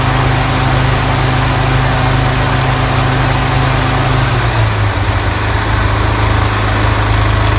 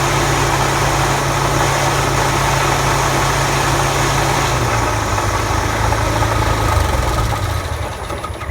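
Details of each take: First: Toro TimeMaster 30-inch mower after replacing deck spindle lower ball bearings and setting deck belt tension: steady even drone with no grinding or rattling from the deck; loud rubbing noise and blade engagement problem fixed. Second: Toro TimeMaster 30-inch mower deck: belts struggle to bring the blade spindle up to speed, then a loud, harsh rubbing roar near the belt area that fades as blades wind down.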